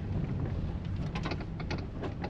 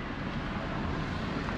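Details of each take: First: 2012 Toyota Prius, possibly, driven slowly around a parking lot: irregular light clacks and rattles over a low rumble from the steering column, suspected lower column intermediate shaft, not yet confirmed; separate brake buzz also reported. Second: Toyota Prius after steering column reassembly, driven over parking-lot bumps: low, even road and wind rumble in the cabin with no clicks, knocks or rattles; the steering knock in the dash is fixed.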